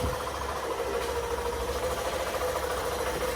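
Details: Hero Super Splendor BS6 i3s, 4321 km, after rocker arm and pin repair and setting timing: steady idle with light, even valve ticking and no loud clatter.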